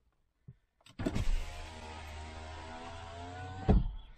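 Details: Audi A6 3.0 TDI V6 quattro, over 300,000 km: passenger-side power window. Smooth, even motor hum about three seconds, steady pitch, soft stop at the end; works flawlessly, though possibly replaced before.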